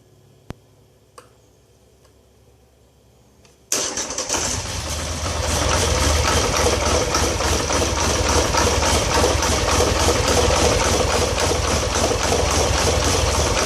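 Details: 2013 Polaris Sportsman 850 XP HO twin: a couple of clicks, then it starts and settles into a lumpy, rough idle. Code 520194-7 (throttle stuck); TPS voltage won't adjust; a new TPS, throttle body and IAC swaps, cleaning and cable adjustment all made no change.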